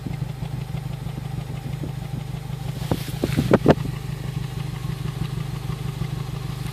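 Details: Honda Civic Si at warm idle: the engine runs fine, but a steady idle carries uneven little pops and puffs in the exhaust, with a short cluster of louder pops midway; cause unknown.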